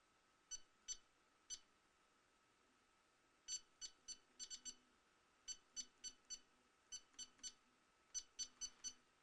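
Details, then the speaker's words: Mingda Magician X 3D printer touchscreen menu, on latest firmware: irregular short high beeps, some in quick pairs; touches likely not debounced, so inputs sometimes register twice. "they don't de-balance those touches you can hear it sometimes it's hitting it twice sometimes it's hitting it once"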